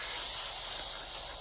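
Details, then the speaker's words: Trash-picked air compressor first plugged in: steady high hiss, no low rumble, air escaping around a very loose fitting; owner suspects the tank can't build pressure because of the leak. "So it's definitely leaking air from around one of these. Oh, that's just like super loose."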